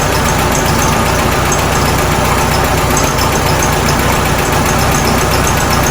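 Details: 1967 VW Karmann Ghia, first idle after sitting since 1975: loud, busy idle with uneven low thumping and clattery top end; owner says timing needs adjusting, likely new points and belt, fuel pump to sort, leak present.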